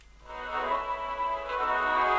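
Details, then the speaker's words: Roberts RT22 portable radio after replacing a failed resistor with a 3.3 (no 3.9 available), set run outside its case on battery: clean steady organ music on FM, no hiss or dropouts; normal FM reception restored; fault not cured by capacitor changing. "Right, now I've put a 3.3, I didn't have a 3.9, and we now have noise or sound on FM"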